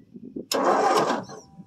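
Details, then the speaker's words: 1959 Ford F250 with a 223 (possibly 262) six-cylinder, cold start after sitting 3–4 years on a new battery: brief starter cranking that turns over but never fires. Crank, no start; no spark seen, and the points are suspected. "first starting three or four years give a whirl keep going little more try try it try it apparently we're not so lucky this one see if she's got any spark crank it"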